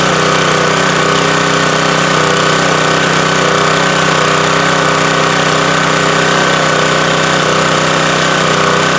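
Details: Subaru-engined electric-start pressure washer after cleaning, refilling oil (not overfilled) and starting on choke, checked for oil or fuel leaks: loud, steady small-engine drone at constant speed, no misses, knocks or surging; normal running, no leaks seen.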